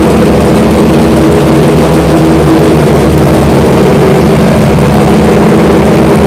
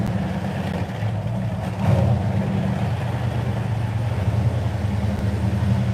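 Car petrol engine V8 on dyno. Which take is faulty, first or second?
first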